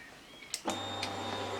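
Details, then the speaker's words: Two-stroke, engine off, ignition powered via shunted plug: steady low electric hum with faint whine for about a second as the fuel pump primes normally. "On va entendre tourner la pompe à essence. On va attendre 5 secondes."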